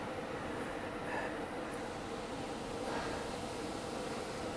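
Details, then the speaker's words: Attic AC air-handler blower running after owner replaced its capacitor (outdoor unit capacitor also replaced); steady airy rush with constant mid hum, no knocking, scraping or wobble — normal blower operation. "oh yes did you guys hear that the blower is working it's running"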